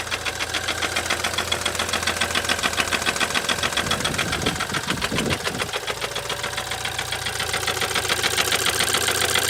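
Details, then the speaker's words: BMW Z4 N20 petrol engine idling with a fast, steady metallic rattle and knock, three to four clatters a second, timing chain heard bouncing; rod bearings suspected, not confirmed, after oil, compression and timing chain checks. "so the clip you just saw is kind of the summary of what's going on with the engine you can hear the metallic rattle you can hear the chain bouncing around"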